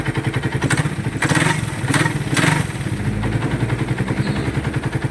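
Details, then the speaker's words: Customer's engine, about 41,000 km, others diagnosed overhaul: fast even metallic clatter over the idle, vibrating rattle not ticking; cause was a loose pinion gear nut. "Ito yung tunog nung kay sir. Hindi malakitik, ma-vibrate, makalampag mga boss."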